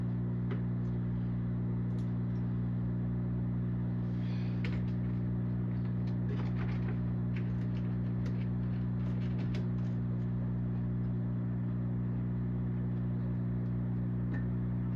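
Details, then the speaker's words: Zaxxon arcade cabinet: steady low buzzing drone with stacked overtones and faint clicks comes from the speaker, unchanged after removing coin-door bulbs; source suspected on the board. "Nope, still humming. So it does not have anything to do with it. Don't know where that's coming from."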